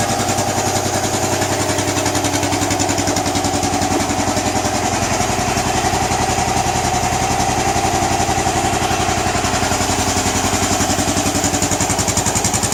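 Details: Bullet 500 cast-iron single-cylinder engine idling: slow, even thumping at about 220 beats a minute with steady loudness and no knocks or rattles. Healthy idle.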